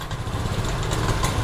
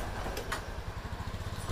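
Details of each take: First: Honda Scoopy scooter hesitating on initial throttle despite normal electrics, 40.3 psi fuel pressure, cleaned and tested injector, new spark plug and air filter, ECU reset; stumbling, uneven low beat on blip instead of clean rise, ignition coil suspected next. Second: Honda Scoopy single-cylinder scooter after replacing the faulty ignition coil that caused hesitation on initial throttle; revs cleanly in repeated quick throttle snaps and returns to steady idle with no sputter, fixed.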